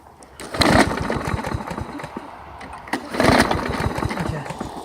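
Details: Mower that would not start until its clogged air passage was cleared. It now starts right up, catches and settles into a quick, even putter with two short throttle surges, running fine.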